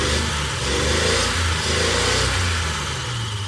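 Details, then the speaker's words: Unimog inline six free-revving fairly high with no load. Note wavers and stumbles instead of staying smooth, though it dies under load. Owner suspects not enough fuel or timing off, unconfirmed. "So I can like sometimes kind of free rev it pretty high, although it doesn't sound like it's completely smooth, especially from an inline six."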